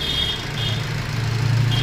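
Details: Maruti Swift Dzire diesel after engine work and reassembly with a new gasket, no check engine light: smooth, steady low clatter at idle with no knocks or rattles, where before it rattled from the engine mountings on start; normal idle.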